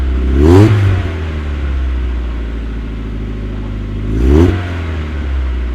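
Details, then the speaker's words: Mk1 Mazda MX-5 (Eunos) just after fitting a Cobalt cat-back single-tip exhaust: engine starts, settles to even idle, two clean throttle blips with deep steady exhaust note, no rattles; normal. "So as you can see, it's gone dark, but the job is done, and I have to say the exhaust sounds pretty good."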